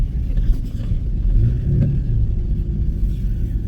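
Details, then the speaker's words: 2004 Ford Ranger 3.0L after fuel pump replacement, on a test drive: steady, even low rumble with no misses, surges or stumbles under light throttle, not idling rough, good pickup and more power than before; normal running. "Sounds good. It's not It's not stumbling. It's not, you know, it's not idling rough."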